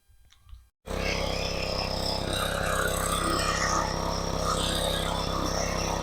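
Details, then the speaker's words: Craftsman lawn edger/trencher unused about 5 years, running outside with edger blade spinning; small single-cylinder runs at steady, even speed, no sputter or surging; earlier smoke gone, owner thinks oil burned off; runs pretty good, normal. "All right, well, this one's done. I'm very surprised. Did real well. Runs pretty good."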